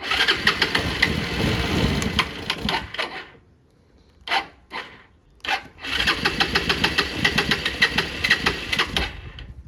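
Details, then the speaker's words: Old Bajaj Pulsar in very cold weather, carburetor refitted, starter fixed: engine fires and runs briefly, dies, coughs through restart attempts, then catches again; stalls after starting, petrol looks discoloured and contaminated, so tank is being drained. "तो थोड़ी start हो रही है फिर बंद हो जा रही है तो अब इसके फ्यूल में दिक्कत लग रही है"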